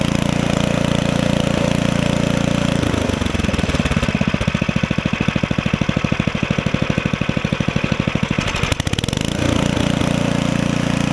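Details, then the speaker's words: Ariens ST724 snowblower small single-cylinder engine after carburetor cleaning and adjustment, started on primer: steady, fast even thumping with no misses or knocks; runs well, drive and auger working. "it runs good the drive works the auger works"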